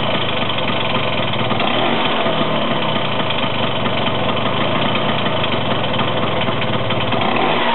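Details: Vespa 125 two-stroke: steady buzzing idle with a constant shrill high-pitched whine over the top; source of the whine not clear.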